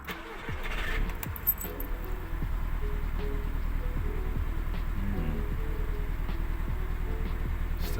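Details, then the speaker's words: MK2 Audi TT, code P0301 cylinder 1 misfire: cranks, catches, then idles with uneven lumpy beat; still misfiring with swapped coil pack and spark plug, compression even; injector suspected next. "Still misfiring with the new coil pack and spark plug."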